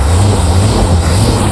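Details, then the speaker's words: 1974 Corvette Stingray, matching-numbers 350 V8, 80k original miles, automatic, started from outside without throttle: deep even idle rumble, steady beat, no ticking, exhaust leaks or smoke; healthy normal idle. "Fires right up with no issues at all. Super healthy. I don't hear any exhaust sounds, any issues."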